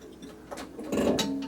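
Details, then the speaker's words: 1976 Williams Aztec electro-mechanical pinball with ball count not advancing and games starting as 2-player; after ball is fired, quiet pause then bursts of mechanical clicks and clatter as the game struggles, then steps through its reset cycle. "so we'll fire the ball it's having trouble resetting the game and oh"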